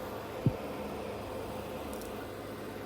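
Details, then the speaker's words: Dell PowerEdge R720 machine-learning server (NVIDIA P100 and P40 build) booting, recorded at the back near the exhaust airflow: steady even fan rush with low hum, quite loud but not horrific; normal server fan noise. "it's quite quite a bit of noise from the back here but as you it's not horrific you know"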